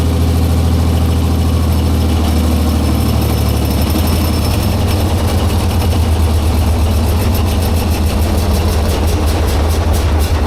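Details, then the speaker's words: 1944 Cleveland 3-268A three-cylinder two-stroke diesel, first run after revival and bleeding air from the fuel return line, no coolant: it began on one cylinder, then all three picked up; a deep, even, steady low-idle chug with no misses. "wo man I'm excited it's like it it was running on one and then two and three all picked up at one time so excited that's awesome"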